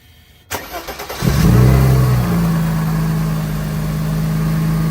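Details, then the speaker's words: Mercedes M104 engine after ignition coil replacement for misfires; quick crank, clean catch and brief flare, then even steady idle with no misfires. "Perfect. All right. Running nice, smooth. No misfires coming out the back end."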